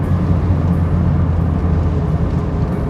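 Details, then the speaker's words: 1992 Toyota MR2 after repair: deep, steady engine drone revving all the way out smoothly, knocking noise gone. "I can rev all the way out and not a single noise happens. No more knocking."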